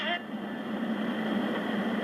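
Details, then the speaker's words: Juliette NA-1114 AM/FM AC/DC portable radio after replacing the volume control: worked at first, but after a few hours' play a steady rushing hiss with a faint thin tone masks the broadcast; owner doubts the volume control, cause unknown. "let's turn the town you're going to hear a new problem"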